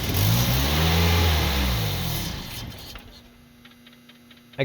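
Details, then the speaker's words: 2000 Toyota Celica, 242,363 miles: on starting fluid the engine catches, revs unevenly, then sags and dies within three seconds while blowing heavy smoke; a loose bolt holding the ignition ground was found and tightened as the likely cause. "it to run it was very hard to keep running it was blowing smoke like crazy channel so i found another loose bolt this bolt was holding on a ground for the ignition which makes sense that it wouldn't be working right if that was loose"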